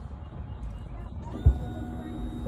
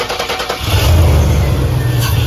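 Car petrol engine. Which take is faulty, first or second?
second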